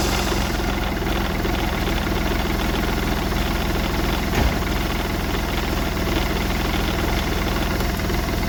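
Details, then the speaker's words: Smart Fortwo 450 CDI 0.8 l diesel just after turbo cartridge replacement with three turns of preload: even diesel clatter at steady idle, no whistle, scrape or surging from the turbo; turbo spinning with oil pressure, normal idle. "Yeah, turbo is spinning. Turbo is spinning. It's got oil pressure by now. So that's good to see."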